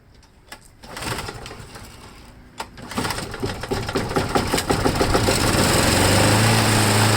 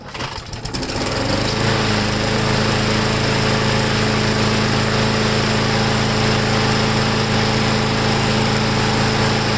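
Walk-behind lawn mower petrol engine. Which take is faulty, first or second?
first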